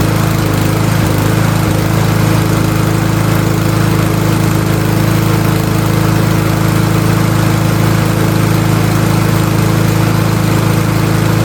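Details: MTD Powermore 139cc mower engine running on fresh oil after a spring tune-up (new spark plug and air filter, oil change). Steady, even running at about four firing pulses a second with no misses or knocks; healthy.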